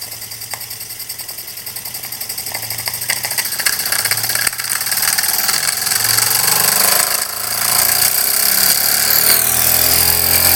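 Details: Jensen #5 steam engine running normally with adjustable speed: light rhythmic chuffing speeding up steadily as more steam is fed, beat staying even.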